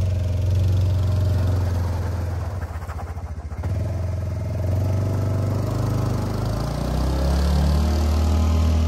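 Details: Kymco after fuel pump replacement (Walbro pump) with the in-tank fuel line section replaced by submersible fuel line: low, steady engine drone holds even at idle, dips briefly then picks back up smoothly. Normal idle.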